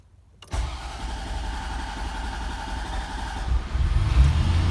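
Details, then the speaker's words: 1991 Corvette ZR-1 LT5 that starts then stalls as if out of fuel: cranks, catches quickly and settles into an even, smooth idle with no knocks or misses. Mechanically fine; owner suspects an electrical or fuel pump cause. "once it catches it seems to rev up nice like mechanically i think it's okay because it does um sometimes rev right up and sound good and everything"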